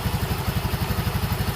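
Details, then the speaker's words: Yamaha Mio M3, previously hard starting, low power and no idle after bore and valve replacement, now after fix: steady even low thumping idle, no clatter or misses, idles without throttle. "nah dia mau hidup ya sekarang tuh jadi tanpa di gas pun sekarang dia mau hidup Alhamdulillah ketemu ini penyakitnya"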